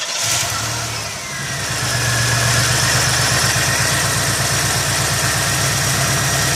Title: 1989 Buick Century 3.3L won't start, runs then quits, rough poor idle, bad faulty fuel injector.